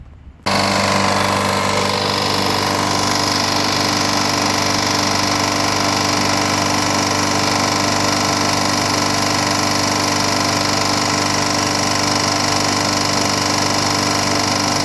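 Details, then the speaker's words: Free-pickup push lawnmower, single cylinder, run after a homemade head gasket was made from Permatex red RTV silicone. Loud, harsh steady running with rough ticking; some smoke but no oil leak. The clicking's source is unknown; the gasket maker is suspected of failing. "it's making this clicking sound so I can't figure out what that could be"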